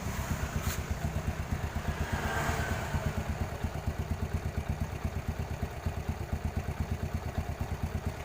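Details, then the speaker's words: Yamaha Jupiter Z after timing (cam) chain replacement: even idle thump about three beats a second with no chain rattle or clatter; now smooth, normal idle after the fix. "oke mas bro ya sekarang alhamdulillah suaranya sudah halus tidak seperti tadi seperti kacang goreng"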